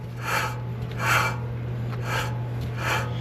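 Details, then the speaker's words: 2011 Ford F350 DRW front wheel bearing turned before replacement: gritty, rasping scrape in repeated strokes over a low steady hum, definitely a bad wheel bearing. "a bad wheel bearing without a doubt that is a bad wheel bearing"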